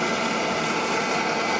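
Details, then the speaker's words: Milltronics VKM4 3-axis CNC mill with a new control computer, spindle at 2,000 rpm while running the warm-up program. Even, steady whir at constant speed with no grinding, knocking or wavering; a healthy spindle. "so you're here in the spindle at 2,000 rpm"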